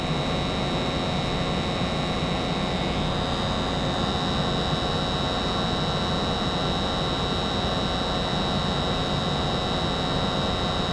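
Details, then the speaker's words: American Standard 90% gas furnace during a Testo 330 combustion analysis: the blower kicks on at 8.9% O2, about 95% efficiency, 5–7 ppm CO, blue flames; steady rushing airflow, constant low drone, no knocks or squeals, normal blower operation. "Blower's getting ready to kick 9.0 8.9 blower kicked at 8.9"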